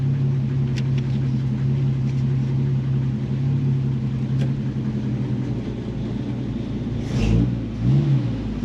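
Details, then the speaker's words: Warm AMC 258 straight-six in a 1946 Studebaker M5 truck with a worn factory BBD carburetor; loping, uneven low idle with dips, falls on its face and nearly stalls; rough idle, cause unconfirmed. "hey hear how it's idling real rough now it's warm enough now an idol like garbage"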